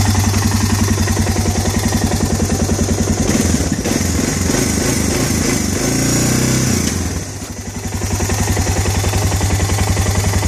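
Steady idle with a light, even tick riding on the pulses and a brief throttle dip midway; the ticking sounds mild, cause not pinned down.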